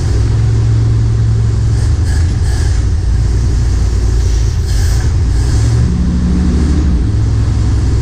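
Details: M37 Dodge after replacing the carburetor accelerator pump: a deep, steady rumble that picks up cleanly when revved and settles back smoothly with no stumble. Normal running.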